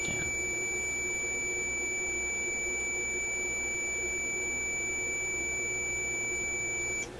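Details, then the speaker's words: Electrohome AM clock radio tuning capacitor, continuity tester across the plates: steady unbroken high-pitched beep for about seven seconds while pushing the rotating plates, confirming shorted plates. "I think that tells you undoubtedly that the plates are shorting i mean i didn't have much doubt to begin with"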